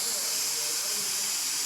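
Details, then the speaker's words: Samsung DVM S heat-recovery system, no-heat service call, pressurised per manufacturer recommendation: steady sharp high-pitched hiss of refrigerant gas escaping from a leak in the refrigerant line. "so that's what the manufacturer recommends and that's what we did and we can hear the leak quite portable"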